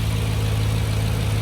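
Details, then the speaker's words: Mercedes W202 AMG with M113 V8 on new ECU Masters/AIM PDM wiring loom, warmed up to temperature with fans coming on: deep, even V8 burble, steady low beat, no misses or knocks; idling smoothly and running really nicely. "Okay, guys, fans coming in. It's up to temperature. She's running really nicely."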